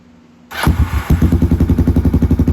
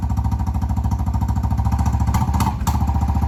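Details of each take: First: Kawasaki Prairie 300 ATV after fitting a $40 Amazon slip-on muffler in place of the gutted stock one. It fires up at once and settles into a steady, even thump of about ten pulses a second, deep and clean with no misses, likened to an FMF Powercore. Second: Kawasaki Prairie 300 ATV before the muffler swap, with a gutted stock muffler (internals and spark arrestor removed): loud, crackly single-cylinder bark that grows harsher as it revs up and down.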